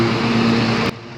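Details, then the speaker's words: John Deere L120 lawn tractor, 48" deck, mowing after a new deck belt was fitted: steady engine drone with the deck spinning evenly, no slapping or squeal from the belt; normal mowing. "the new belt is running smooth and it's a nicer even cut I'm satisfied with these results"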